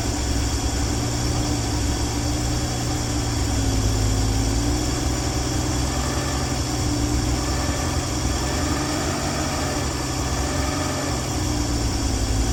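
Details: 1965 Dream van engine at steady, even low idle rumble with no misses, knocks or hunting throughout, after wiring short fixed and horn relay replaced following earlier oil pressure line failure; no leaks, idling healthy.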